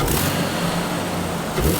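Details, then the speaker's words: Jeep idling after a sensor replacement and a fixed vacuum leak; idle is no longer high and there is no check engine light. A steady, even low hum with settled revs, a normal idle. "that that sounds pretty darn good I would drive this to Alabama right now"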